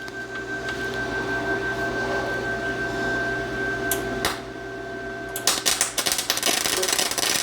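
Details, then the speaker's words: Vevor MIG200 4-in-1 synergic welder on a 110 V outlet, 120 A, voltage 24, MIG manual mode, iron setting: machine hum, then a harsh, irregular popping crackle instead of a smooth sizzle because the shielding gas was off. "Nope, that didn't do it. Oh, no gas. I can hear the gas now."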